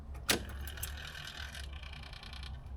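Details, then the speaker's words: Bus at key-on, fuel pump possibly dead: a click, then a short electric whir of about a second fading to quiet; the idle control motor setting idle normally, same system as a Dodge truck. "Oh, it has one of those systems. I know what that noise is. That's to set idle. Dodge truck has the same thing."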